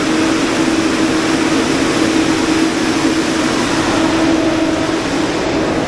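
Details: Generator being test-run during minor service: even, steady drone with a constant mid tone, no knocks, misses or surging; normal running.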